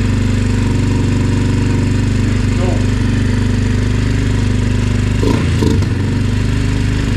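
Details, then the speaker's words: Yamaha TT-R 125 single-cylinder on choke, fuel smelling varnished, air filter not mounted: loud steady thump stuck at one low speed. It idles but won't rev, won't idle once warm, and the carburetor needs taking apart. "this thing here finally got it to idle but it won't Riv up uh and then when it warms up it won't idle got to let it cool down before it runs again"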